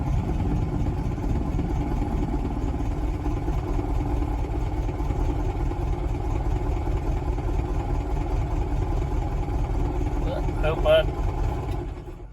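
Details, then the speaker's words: 1968 VW Beetle after fixing a hard start with a 30 A starter relay/solenoid and push button: it turns over and starts right away, then idles steadily with a soft, even chuffing rhythm and no stumbles. "my key in the ignition and got a little push button on the bottom make easier cuz it don't like to turn over so y you can hear it turn right on over just"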